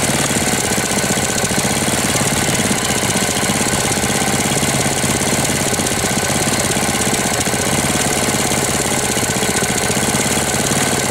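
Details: 1998 Briggs & Stratton 60 (6 hp) Intek Edge restarted after long storage, oil changed, leaks and hoses fixed, not warm: rapid hard constant knocking, rough and lifeless; sounds about to seize despite correct oil level, cause unknown.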